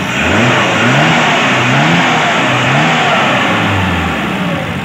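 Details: Daihatsu Zebra after carburetor tuning, idle set around 500 rpm: engine picks up cleanly through several blips and settles back each time, smooth and even with no stumble or popping; running fine.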